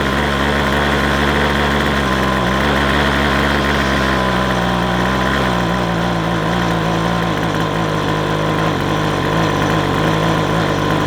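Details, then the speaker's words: McCulloch 250C XL X-series two-stroke strimmer with a suspected carburettor blockage. It idles unevenly, pitch sagging and wandering, and sounds fuel-starved, keeping going only on choke. Cause suspected, not confirmed. "don't want to run off the choke, which means we might still have a block somewhere."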